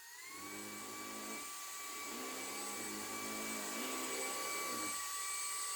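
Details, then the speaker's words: Hoover ONEPWR Evolve Pet Elite 2 cordless vacuum on carpet: the motor whines steadily while the brush-roll hum drops out and restarts as its fins catch long fibers. The brush roll stalls, and a replacement unit did the same. "because of the catches inside of the brush roll, it just stops."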